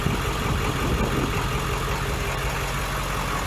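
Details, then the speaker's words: 7.3 turbo diesel in an old bus with a 50-gallon tank, after a gallon of injector-cleaner fuel stabilizer was added: a steady, low, unhurried idle clatter with no misses or knocks. Normal diesel idle, running nice. "Yeah, the old bus sounds like it's running really nice. That's a 7.3 diesel, turbo diesel. That's what it is right there."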